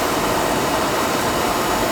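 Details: Oil burner that had been tripping on safety, after service: nozzle had been set too far inside, not getting proper air; now a steady, even roar of fan and flame with no pulsing, rumble or flutter, firing cleanly and running normally.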